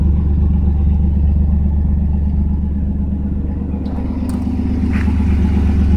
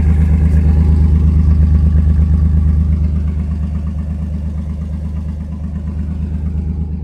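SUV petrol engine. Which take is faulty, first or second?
second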